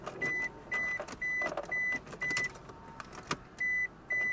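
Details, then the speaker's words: Vehicle at salvage auction, on jump pack: steady high beeps about twice a second with clicks between, no engine sound; refuses to start, cause unknown. "she is saying hell no yeah that does nothing"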